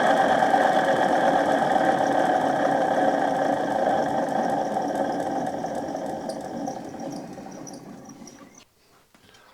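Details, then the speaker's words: DC dynamo spun by a drill, well below its proper speed, putting out about 80 volts: a coarse, rough rumble with a steady hum that fades as it slows. Worn bearings that need replacing. "You can hear the bearings rumbling, so it does want a set of bearings."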